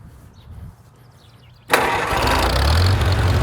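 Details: 1948 Farmall Cub tractor, serial 14273, brought out after sitting in the garage since fall, fires at once on choke and settles into a steady, even low putter with no stumbling.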